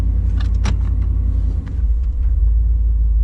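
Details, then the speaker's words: 1990 GMC TBI 350 V8 that ran rough with vibration at idle and low speed, after repairing a bare damaged wire: deep, even rumble in gear with no stumble or shake, key rattle over it; now running on all cylinders. "better so much better I think I've been driving around on seven cylinders for a couple of weeks guys"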